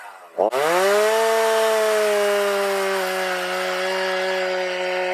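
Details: Stihl MS310 chainsaw after fixing an after-storage no-start, carb limiters set mid with L and idle readjusted; saw snaps up to a steady high scream and holds evenly while cutting wood, no surging or bogging: running right.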